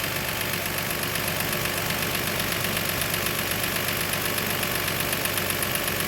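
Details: 2002 Toyota Highlander idling while the scope reads factory ignition coil amperage, with new coil and plugs already fitted. The idle is even and steady with a smooth, regular beat and no stumble or miss.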